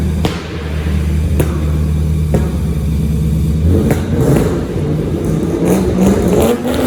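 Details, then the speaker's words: Untuned Mazda RX8 rotary drift car with 180-degree headers, small rev before dyno tuning: short rev rises and falls with sharp crackling pops and backfiring on the overrun through the exhaust; attributed to the engine not yet being tuned. "you can hear it backfiring and popping away and carrying on but yeah it's just a tuning issue"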